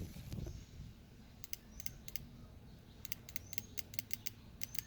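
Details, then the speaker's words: Ford Ranger 3.0 (about 1999–2001) with an apparent cylinder 3 misfire code: crisp, sharp double clicks on each hand-applied current pulse to the injector, showing it opens and closes; injector working electrically. "escucha un pequeño golpecito de que abre y cierra, quiere decir que este inyector sí está sirviendo."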